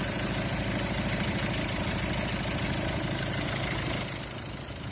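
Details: Petrol engine idling with a steady, even chug and no belt squeal or chirp after household powder is sprinkled on the fan belt.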